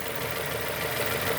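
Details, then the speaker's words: 2002 Nissan Almera N16 QG18 cable-throttle petrol at idle after repair: misfire caused by swapped cylinder 3 and 4 coil connectors, corrected; all cylinders contributing, engine idles evenly with steady pulse, no missing beat. "number 3 contributing, 2 contributing, 1 contributing. No more misfires."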